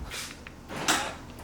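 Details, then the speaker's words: BMW E36 driver's door after aftermarket keyless entry install: brief whirr and weak soft thunk from the lock actuator; the lock moves down only barely, not travelling fully, cause unconfirmed. "unlocks except it doesn't move this one all the way if you could see it's coming down but barely I mean it's kind of successful now"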